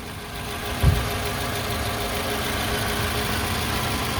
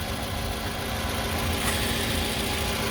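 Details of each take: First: 2006 Toyota RAV4, the "before" sound ahead of the AMSOIL engine flush, oil change and upper cylinder lubricant: a steady four-cylinder idle with a light, quick tick riding on top that holds at engine speed. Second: 2006 Toyota RAV4 on its first startup after an AMSOIL engine flush and oil change: a steady, even idle with a smooth low hum and no ticking or knocking. The engine sounds healthy.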